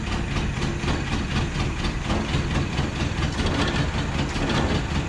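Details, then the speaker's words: 1977 Datsun 710 from salvage yard, just revived after reconnecting coil ground wire, fuel pump leaking: petrol four idles steady and fairly even with low rumble, no knock or miss, still needs tuning; normal idle. "you don't sound terrible we're gonna tune on it some but we've got her holding a decent idle right now"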